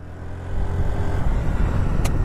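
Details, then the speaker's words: Honda NAVI scooter riding around 40–45 mph on a straight, slight uphill; a sharp exhaust pop/backfire as the throttle closes, blamed on the pair valve; low engine and road rumble. "That is the pair valve. I can show you how to fix that in a little while. That drives me freaking crazy, that backfiring."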